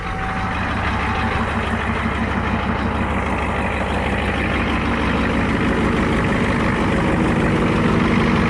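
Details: 1994 Ford F250 7.3 IDI diesel, new turbo, CAT injection pump, just cold-started without glow plugs at about 80°F humid; steady even clatter about three knocks per second; normal cold idle.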